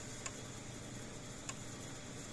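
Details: Old PEL 609 electric fencer after board repair and new capacitors, running with tester connected, reading about 7,000 V ground to hot: sharp single snaps about every 1.2 seconds over faint hiss, quieter than before when transformer was likely arcing. Normal pulse.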